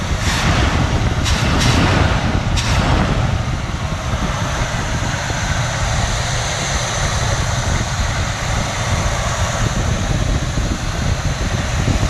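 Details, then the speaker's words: 1982 Camaro Sport Coupe, 305 V8, after capping three or four vacuum leaks: a few early blips, then steady even rumble with no hunting or stumbling; idling smoothly by itself without throttle. "we capped off the vacuum lines and it's it's running really smooth really smooth"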